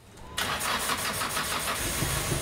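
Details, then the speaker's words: Engine with a misfire that triggers P0301/P0302/P0303-type codes and a flashing check light: uneven, lumpy, unbalanced running from one cylinder misfiring. The demonstration involves unplugging small red connectors. "when you listen to the car you can hear the engine is not in balance right now"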